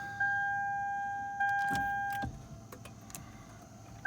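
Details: Lexus HS 250h (2010) hybrid that wouldn't start, after replacing the faulty battery in the spare-tire well: steady two-note chime drops out briefly then returns with a few clicks, the hybrid system powering up normally.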